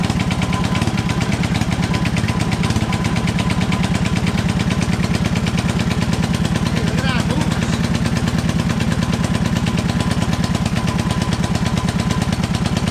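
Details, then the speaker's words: Toro 58-inch professional 3-gang reel riding mower after repair, fluid levels checked, first test drive; steady even low-pitched chuffing at constant rate for about thirteen seconds, no misses or surging, no hesitation: normal running. "It's running very well. Doesn't hesitate at all."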